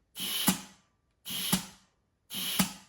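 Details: Turbo 400 transmission with manual valve body, direct clutch air test, one side plugged: three short air rushes each with firm thump, no hiss between; clean direct clutch apply.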